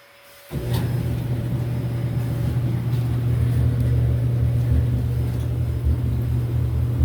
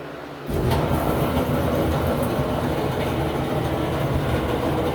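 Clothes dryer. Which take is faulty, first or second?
second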